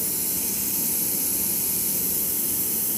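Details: Hydrovane 23 PUM rotary vane compressor, 4.5 kW, 580 l/min at 7 bar: loud steady hissing over the compressor drone, no unloading drop; internal air regulator failed to regulate, so pressure built until the safety valve opened.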